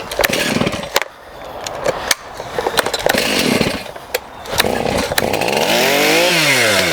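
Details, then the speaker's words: STIHL MS291 chainsaw with adjustable carburetor and restricted screws, running lean likely since new: revs come in uneven bursts and sag toward dying unless the throttle is feathered; lean idle mixture causing stalling, risk of scoring. "So this is what I'm running across, just a bit lean. Okay, so this can go on and on unless I start it up and keep feathering the throttle till it revs."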